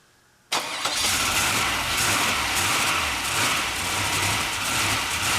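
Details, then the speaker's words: Turbo LS V8, now 5.7 in place of a 5.3, swapped into a Mercedes AMG wagon, first start after rebuild: catches after a short crank, then an uneven, hunting idle with smoke from the exhaust; tune written for the 5.3 suspected. "it's the tune obviously wouldn't work because it's a five seven now instead of a five three wasn't idling there but it does run"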